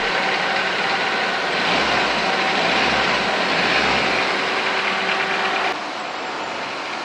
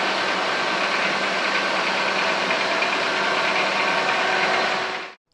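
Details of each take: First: 🎯Car Idle Problem FIXED! 🔧 Clean IACV/Idle Valve Sensor for Smooth Engine Idle | Step by Step Guide. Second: Car idling after cleaning the idle air control valve (IACV): steady even hum with no hunting or surging, then it cuts off.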